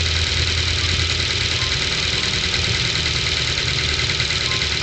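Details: 2010 Ford Focus 2, 1.6 L 100 hp: fast light ticking over a steady idle after a cold start that disappears once warm. Owner suspects valve clearance needing adjustment by replacing shims or buckets.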